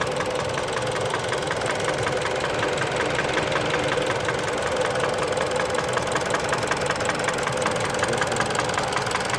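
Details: Mitsubishi Lancer X 1.8 4B10 engine knock only when warm at idle: sharp, fairly regular tapping, roughly 160 per minute, over a steady idle; cause unclear.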